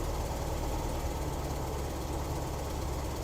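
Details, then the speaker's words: 1973 VW Squareback Type 3 air-cooled flat-four at idle on first start-up after new points, plugs, wires, injectors, starter, vacuum hoses, timing and valve adjustment; headlights on; steady even idle, no knocks; normal idle under electrical load. "So we've got most of the electrical things turned on. We're still right around 13 volts, and that's just at idle."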